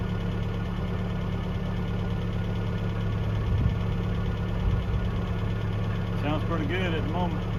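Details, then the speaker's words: 1982 Toyota SR5 4x4 pickup after fixing crank-then-cut-off problem (carburetor rebuilt earlier; owner thinks emissions control computer box was the cause): smooth, steady idle with slight rise and fall as throttle nudged up and down, no misses or knocks. "let's try pretty smoo at the moment up a little bit down"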